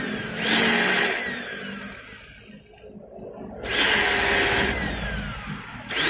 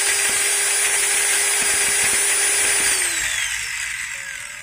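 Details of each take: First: Maktec MT90 angle grinder, worn upper pinion gear removed, motor tested alone in short bursts: rough, scratchy sound like armature rubbing the stator and changed vibration. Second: Maktec MT90 angle grinder just after replacing its pinion gear: high steady whine at full speed with a slight gear rasp, pitch sliding down at switch-off. The new gears are bedding in and expected to smooth with use.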